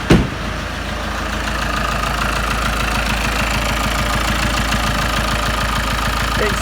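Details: Ford Mondeo Mk5 2.0 diesel, first start after timing chain and tensioner replacement: heavy uneven chug at idle with throbbing beat; rough idle.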